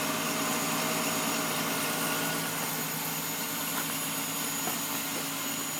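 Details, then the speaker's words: Engine at raised warm-up idle: a steady thin high whistle, heard through the closed hood but not with it open; it vanishes once the warm-up revs drop; source not found. "Все, пропал. Прогревочные обороты упали, свист пропал."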